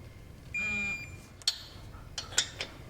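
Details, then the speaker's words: Torque wrench during cylinder head re-torque on a 1974 Moto Guzzi Eldorado: one steady high beep about half a second, then light tool clicks; wrench reached its set torque. "And when you hear the beep, that's how you know it's tight enough and you stop."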